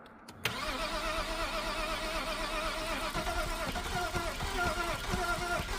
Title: crankshaft sensor issue n52 e90 330i crank no start